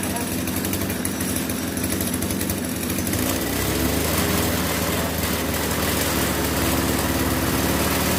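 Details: RBC411 two-stroke brush cutter revving with a rough, uneven shaking rattle over the buzz; the violent vibration is caused by bent blade tips, fixed by straightening them.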